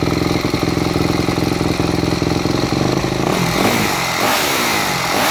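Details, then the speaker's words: Four-stroke MX bike with a Keihin FCR-MX carburetor, pilot fuel screw turned in about two turns: uneven idle with irregular popping and crackling from the exhaust. The fuel screw is set too lean, which also makes starting hard. "all right did you hear how much popping and carrying on i would call it coming out of the exhaust was occurring that means your fuel screw was adjusted too lean"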